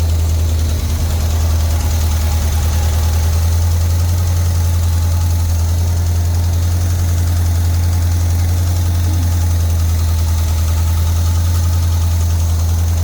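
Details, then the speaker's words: Jeep V8 not run seriously in 10 years, with very old oil and untuned, warming up: loose, rackety lifter ticking from the top end plus a puffing exhaust leak. A valve job is planned, and a vacuum leak is suspected at idle. "You have an exhaust leak. Oh, yeah. And you can hear a rackety tacky tack of the lifter."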